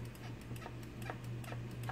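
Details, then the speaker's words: Ikon-x laser tag gun (MP5 airsoft-style body) with screws refitted after a trigger repair: small sharp clicks, a few per second, crisp and consistent over a low hum; the micro switch lever is pushing down, so the trigger works properly. "hearing that little click inside. That's the micro lever pushing down. If you hear that, then your triggers should be working properly."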